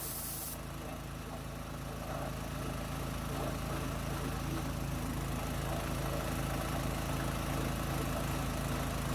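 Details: New gas-powered MaxAir air compressor, first run after unboxing and assembly, after some difficulty starting: small petrol engine pulls steady and even with constant air hiss, no knocks or stumbles; running normally.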